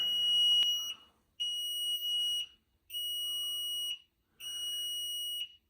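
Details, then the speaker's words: Newly installed Platinum Gladiator Performance unit in a basement: high-pitched beeps about a second long with short pauses. The alarm clears but shows "service needed", and the technician suspects some timer, unconfirmed. "Something's got to happen on this. This dadgum beeping's got to stop. I'm going to have to look it up, I guess."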